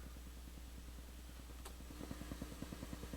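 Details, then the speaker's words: Returned Crown CSC-850F amplifier/cassette radio resting in tape mode at full volume, nothing playing: rapid, fairly even ticking about three a second over low steady hum; minor crackle noise at idle, cause unknown. "Again, the resting sound is that there. Alright, so it's got a little noise."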